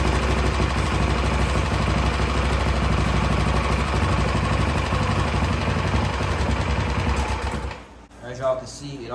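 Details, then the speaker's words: Coleman CT200 minibike with a Predator 212cc engine, run on starting fluid: sputters unevenly for about seven seconds, then dies; it won't hold a run and the carb needs cleaning. "kind of run but I can see that it do need a car clean"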